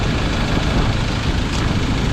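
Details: 2021 Ford Ranger 2.2 diesel after replacing the drive belt, tensioner, idler bearing, clutch fan, glow plug and coolant: steady, even idle with no squeal or chirp from the belt area; the tensioner and belt are now quiet.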